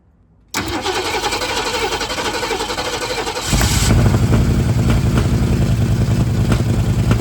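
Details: 1960s Ford Mustang with factory 302 V8, untouched for years in Alaska, carb just hooked up and fresh oil added: short crank, fires and settles into a rough, loud idle that steadies after a few seconds.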